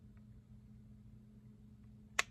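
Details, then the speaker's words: 1957 Bulova AM vacuum tube clock radio during restoration, alarm switch realigned, set to 12:00; quiet low hum, then one sharp dry click as time passes 12; alarm switch trips cleanly. "so I I go around and then at 12:00 you'll hear a little click and a couple seconds later you hear the alarm click here"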